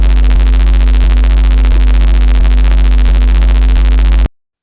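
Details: RODE XCM50 USB microphone plugged into a computer USB port gives a loud, steady low hum and buzz with faint clicks about every 0.7 s. The front light flashes when the USB-C port is wiggled, so there is a loose connection. The main fault is a damaged USB-C socket, with a possible short on the mic connector audio wire.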